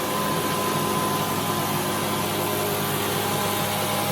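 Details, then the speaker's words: AC/DC air compressor running: loud, steady hiss and hum with a few fixed tones, no knocks or surges; quite loud but running evenly and normally. "But here we go with this compressor. AC/DC gives you a chance to hear what it sounds like. Quite loud."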